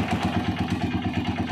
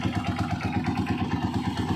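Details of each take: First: Honda TMX single-cylinder motorcycle idling after tune-up, oil change and adjustment of very loose valve clearance: even thump about eight beats a second with light regular top-end patter; healthy idle, no loose valve clatter. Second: Honda TMX single-cylinder motorcycle idling after tune-up and oil change, valve clearance found very loose: light, quick metallic ticking over the low thump, attributed to the cam follower; valve train ticking at idle.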